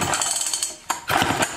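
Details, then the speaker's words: 1959 Clinton antique chainsaw, pull-cord cranking with crisp rhythmic puffs and firm pauses between strokes, indicating good compression by feel before a compression gauge test. "so of course the first thing we're going to want to do is see if it's got compression which it feels like it does because I can hear that don't and it feels like it's got it"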